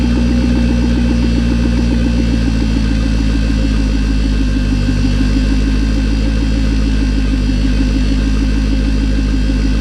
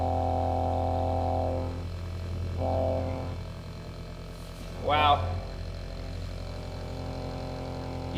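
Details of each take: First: Electric turbo oil scavenge pump at front of car wired direct to battery, engine idling; constant buzzing whir over the idle, annoying despite silencing efforts, owner plans a quieter pump. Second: TurboWerx Spartan quiet turbo oil scavenge pump (12 V, max 3.5 A) on a bench test: low, steady electric hum with a faint buzz, quiet and even; significantly quieter than the old pump.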